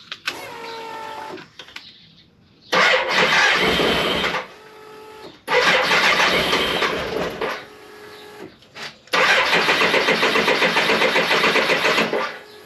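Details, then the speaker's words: 1998 BMW K1100LT, about 83,000 miles, open-loop fuel injection, cold engine: three bursts of even cranking about four pulses a second, never catches; ran very lean when warm, owner suspects cold causes no-start. "now I can't start it at all and that's probably because before the bike was warm the engine was warm when I rode it home now it's cold and it can't start"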